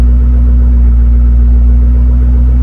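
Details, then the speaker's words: 2008 Ford Mustang GT convertible V8 idling in park: heavy, even low exhaust rumble with no misses, ticks or rattles; normal, recorded while troubleshooting a right turn signal fault suspected to come from corrosion at the Smart Junction Box. "exhaust sounds pretty good on this"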